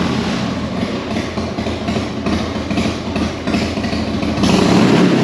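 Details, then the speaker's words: 1991 Harley Dynaglide Sturgis edition, carbureted V-twin, started on choke in neutral after work on the leaking float valve: even, lumpy idle beat with steady loudness, no misses or knocks; runs good, normal idle, being watched for fuel leaks. "Well, it runs good. Put that under there to keep an eye on it."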